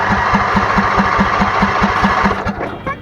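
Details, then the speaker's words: Craftsman DYS4500 lawn tractor, about 628 hours: starter cranks steadily about four turns a second but engine never fires; mechanic said the carburetor is clogged and needs cleaning or replacement. "when I cranked it up it turned over sounds like he's got good first impression however it doesn't start"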